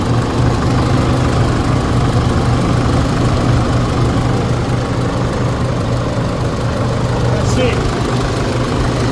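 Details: 2016 Holden Colorado 2.8 diesel after replacing a faulty accessory belt tensioner that let the belt slip off; steady, even diesel clatter at idle with no squeal, chirp or slap from the belt side; normal idle.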